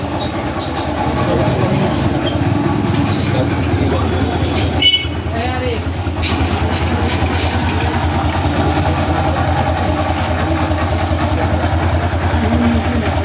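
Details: Honda Livo 110 single-cylinder engine just reassembled: even low putter at a steady idle, no ticking or knocking; engine sounds healthy.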